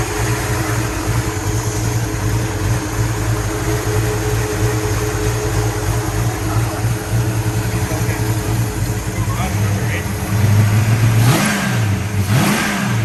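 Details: 1966 Pontiac GTO convertible V8 after repair of white smoke from water getting into a cylinder: steady deep burble, even beat, no misses, a couple of quick blips near the end; runs healthy, slight blue smoke put down to exhaust contamination.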